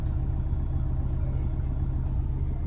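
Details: Maruti Swift Dzire automatic after clutch plate change and clutch/gearbox adaptation done by scan tool: steady even low idle rumble with no knocks, slips or clunks; gears now engage D and R without sticking, problem solved.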